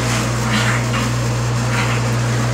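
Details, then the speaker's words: Bottle-washing machine pump running almost dry during a flush with the emergency stop engaged: loud steady low drone with a rough hiss, little liquid present, spraying toward the ceiling. "l'on entend que la pompe à Roche un peu parce qu'il y a pas de liquide vraiment mais ça a envoyé un spray au plafond"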